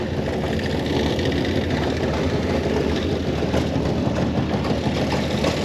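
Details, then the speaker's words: 1930 International fire truck (possibly A5) engine, earlier seemed to be missing on a cylinder or two, now idling with a steady even low chug, no misses or clatter after adding antifreeze: normal idle. "but she's running Run's pretty good too so that's kind of it for tonight"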